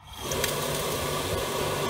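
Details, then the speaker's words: Grant 50/90 oil boiler start-up after a new 0.60 60s jet and a sealed fitting: the fan spins up quickly into a steady rush with a soft flame roar and no pulsing; the pump draws oil, and it burns cleanly. "So, I can hear the fan going. The pump has pulled something up into there already."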